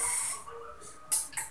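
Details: LPG gas cylinder with regulator, hiss persisting after replacing the rubber valve seal several times: faint airy hiss in short bursts at regulator joint; gas escaping past failed seal.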